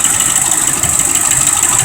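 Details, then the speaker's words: 2005 Ford Expedition 5.4L Triton, idling: sharp, quick, steady rhythmic clacking at the valve cover, suspected bad cam phaser or lifter, possibly not firing on all cylinders; the transmission's forward clutch also fails to hold the truck on an incline. "we all know what that is from watching these previous videos that are going to be a bad cam feasor or a lifter inside of"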